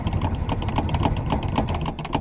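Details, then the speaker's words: 1962 Ford Falcon with 200ci engine, first start in a while after hand-priming the fuel hose, cranking about four pulses a second while the pedal is pumped, with no firing yet; the owner suspects no fuel has reached the carburetor yet. "This is the first start in quite a while, so probably gonna have to pump it. I don't know if there's any gas even up at the carb yet,"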